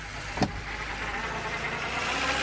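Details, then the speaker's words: BMW 328i idling just after first start following engine swap, with coolant leak and low power steering fluid noted: low, steady idle, smooth even beat, no misses or knocks; engine running smooth. "Engine is running smooth."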